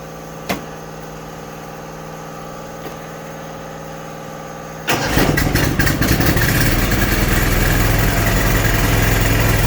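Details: Riding mower with Kohler V-twin, suspected blown head gasket: starter cranks, engine barely fires first try, then catches and runs at fast fairly steady beat; no clear fault sound, cause not confirmed.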